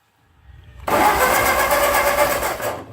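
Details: 1945 Ford 2N loader tractor, newly rewired electrics: starter spins the engine at a steady brisk rate for about two seconds with even compression pulses, no fuel in it yet; normal healthy cranking.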